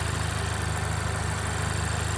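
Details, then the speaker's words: Honda Civic Type R FK8, K20C1 engine, 117,000 km, 30 km after a head gasket replacement with ARP studs because the factory bolts stretch. Smooth, even idle with a steady low pulse and no ticks, hiss or whistles; healthy. "Gładziutko, przyspiesza, żadnych szumów, żadnych gwizdków, świsków, nic nie słychać. No po prostu nowe auto."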